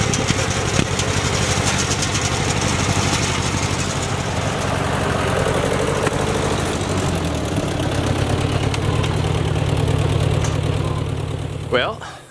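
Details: Ford Jubilee tractor after a carburetor swap: steady thumping that holds its pace as the PTO mower load comes on, no stalling or sagging. Pulls properly, unlike the earlier stalling under load; the carb still needs adjusting, and the owner thinks it will pull enough to plow.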